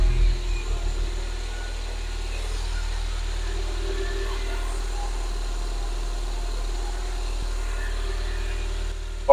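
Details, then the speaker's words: Mercedes-Benz 190E 2.0 (W201) idling after replacing the valve cover gasket that leaked at the rear left. Quiet, steady low hum with a constant rhythm, no misses, ticks or knocks, no leaks seen. Normal idle. "right so the engine is running in its own way it sounds good I can see no leaks or something the engine is running fluently"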